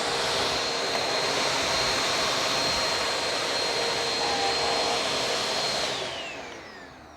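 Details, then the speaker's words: Bissell Powerforce Helix Turbo Rewind 1797 upright vacuum during refurb, run with a borrowed Bissell part clicked in: loud steady rushing whine with even airflow for six seconds, then a smooth spin-down; pulls the machine smartly, motor healthy. "that clicks in there just fine don't it all right yeah it's pulling the machine pretty pretty smartly"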